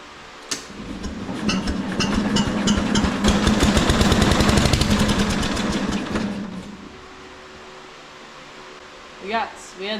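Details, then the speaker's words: Case 444 tractor after new spark plugs, coil wire and points, air filter cover off, run on ether because the gas tank leaks: quick regular popping about three firings a second builds for several seconds, then fades; fires but won't keep running. "I'm just going to take this air filter cover off here we're going to try to started on ether so should be good to go"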